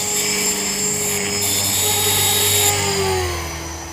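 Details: Trex 450 RC helicopter test flight after a crash, fitted with a Common-Sense RC TR450-35 3500kv 500-watt motor, 13t pinion and a smaller lipo: steady high squeal over rotor and motor whine, holding with rotor speed; bad main shaft bearing.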